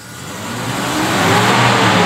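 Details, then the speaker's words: Toyota Innova petrol 2005, before tuning/carbon cleaning, from 1000 rpm idle at half throttle: revs climb slowly and smoothly over two seconds with no crisp pickup; sluggish response, common Innova 2005-2009 complaint of heavy, weak, thirsty running. "lambat banget Saya mikir dulu gitu nah ini penyakit Innova tahun 2005-2009 itu seperti inilah"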